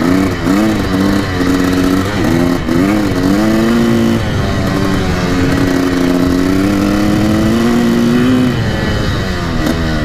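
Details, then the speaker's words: 1984 Yamaha YZ490 two-stroke on its first ride: pitch climbs then sags and stumbles, super boggy on throttle; owner thinks the fuel mix is too rich and it needs jetting. "super boggy I might have to reach other hair but there you go definitely needs to be jetted or just I think the fuels mix like super rich"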